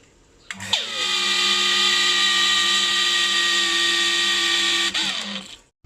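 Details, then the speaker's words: New Hitachi water pump running with loud steady high-pitched whirring hum and rough buzzy edge; loose motor cooling fan whose clip no longer locks rattles, pulling straight off by hand; fix is replacing fan. "ก็ปัญหามาจากจุดนี้เองนะครับโอเคครับนะครับเสียงก็จะดังแปลกๆเนี่ยครับ"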